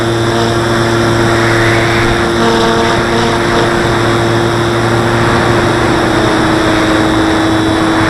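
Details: Rubber-band-mounted model aircraft wing: steady prop drone with a rough buzzing edge when climbing or hard banking, like the elastic bands vibrating; owner suspects the wing lifting off the fuselage, wings not visibly flexing; cause unclear.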